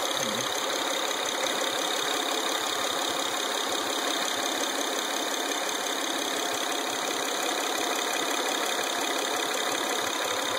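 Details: Acura TL engine at idle with a fast, fairly even ticking knock riding on top; something doesn't sound right, source unclear.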